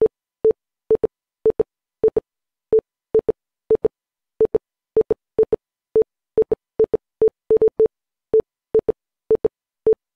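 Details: Windows 11 PC with a new boot drive, when opening or installing a program: short mid-pitched beeps singly and in quick pairs, roughly two a second, in an irregular Morse-like pattern. Cause unknown.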